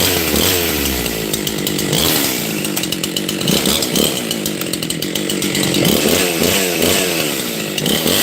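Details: Husqvarna 268 XP chainsaw bogs while cutting with a burbling, uneven four-stroking note instead of a clean scream, because the carburetor mixture is too rich.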